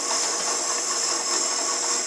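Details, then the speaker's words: Shopsmith Power Pro headstock at 500 RPM before being sent for repair: smooth high-pitched motor whir with a light loose rattle underneath, something rattling inside the headstock; the lathe chatters and wobbles, cause not confirmed. "I don't like that noise it sounds like it's running smooth but you can still hear it rattling around in there"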